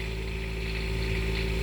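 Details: Onan 7500 HDKAJ diesel generator in 2001 Coachmen 380 MBS RV, about 50 hours by owner, just started after preheat, cold and on high idle before warm-up: smooth, even low diesel hum; normal cold high idle.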